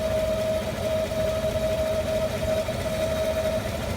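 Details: 2015 5.3L V8 truck, 8k miles, idling after a drive: loud sporadic vacuum-like whoosh/faint airy hiss over steady idle and a thin constant tone, coming and going; belts fine, engine fans, AC, heater and accessories off; cause unknown.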